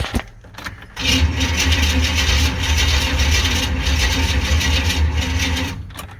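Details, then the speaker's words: 1995 Chevy C1500 Silverado with swapped-in TBI 350 V8: starter cranks steadily about five seconds but never fires; no spark after a coil swap, so ignition control module and distributor suspected. "still nothing i guess we're going to try to replace the control module and the distributor that's usually what goes bad on these whenever they stop firing"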